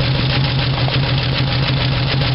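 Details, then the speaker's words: 1975 Dodge D100 Slant 6, open exhaust, after moving distributor one tooth: running but not well; uneven lumpy idle with low pulsing and raspy puffing; owner suspects exhaust leak or burned valve. Rough idle. "all right she's running now not running real good but uh"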